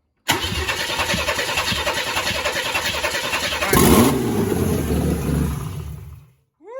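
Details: 1994 Chevy C1500 Vortec V8, first start after starter fix and given gas: cranking about three and a half turns per second, then it catches, revs up and settles before shutoff; normal start.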